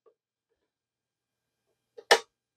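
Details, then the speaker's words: Hayes V-Series Ultra Smartmodem 9600 (Ultra96, 1987), after capacitor replacement, power-cycled with phone line connected: near silence, then one sharp internal relay click about two seconds after power-on; why the modem won't respond is unknown. "I can hear it click inside when it does that and remember every single time no matter what I did historically with the bad capacitors it wouldn't even behave like this"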